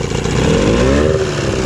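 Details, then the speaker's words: Evinrude 15 hp electric-start outboard, revived after sitting a year, loose fuel hose clamp and leaking bowl fixed, running out of the water: revs smoothly, pitch rising and holding, no misfires or knocks; normal running. "okay so she's running pretty good"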